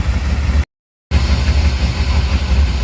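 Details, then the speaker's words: Dodge truck at idle, heard at the tailpipe: low, uneven, choppy, loping idle that never settles; revs fine briefly then drops back; owner suspects clogged air filter starving it of air. "Hear it back here at the tailpipe especially. So I've got a couple of ideas of what it might be. It's very possible that it's starving for air, because look how nasty this thing is."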